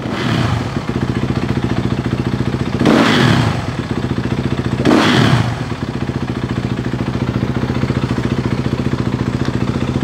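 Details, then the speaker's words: Dirt bike with newly installed Rekluse clutch, free play set so the lever comes in between 1/16 and 1/8 inch when revved: fast idle takes two quick blips cleanly and settles back without stalling, normal. "you want to be able to rev the bike and have the clutch lever come in between your 16th and an eighth of an inch"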